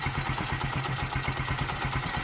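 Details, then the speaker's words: Bajaj Kawasaki CT 125, about 3 years old, stalled when hot; after cylinder head work and carburetor cleaning: even quick putter at idle, about ten pulses a second, no misses or hunting; idle healthy. "karon ato na siyang paandaron paminaw na ong makina niya okay na siya"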